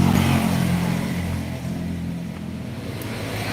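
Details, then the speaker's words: Motorcycle engine after a rebore and new piston, running at idle: low rumble with an uneven knock about four per second; teardown found the piston fitted reversed, wider valve notch wrongly on the intake side instead of exhaust. "ok teman-teman semuanya ini juga tremec yang konon kabarnya itu habis ganti boring beserta dengan pistonnya namun malah timbul suara"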